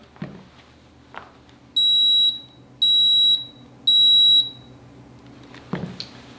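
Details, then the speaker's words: UV water disinfection system, powered up with the lamp removed: three high, shrill beeps about one per second from the ballast's alarm, a deliberate step in the lamp-replacement reset procedure. "once it's out then you need to plug it back in with no lamp in it and what that's going to do is going to put it into alarm"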